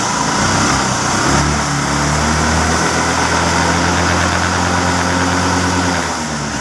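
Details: Hero Maestro Edge scooter idling during a battery-not-charging check, new 2025 battery, about 13.5 V measured, target about 14.5 V; steady even idle, smooth low putter, no knocks or misses. Normal idle; charging fine, fault was a wiring mistake.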